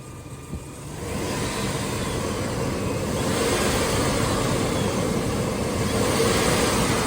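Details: Flood-damaged $450 Chevy S10 Blazer idling in very humid weather, moisture smoke from exhaust: steady, even idle with a soft regular beat, no stumble or miss, outdoor background noise; runs smoothly.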